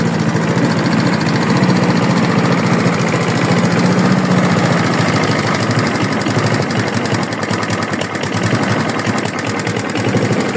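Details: Free mower: fast, loose, fairly irregular knocking within a busy idle; knock present, owner asks whether it is rod knock, unconfirmed.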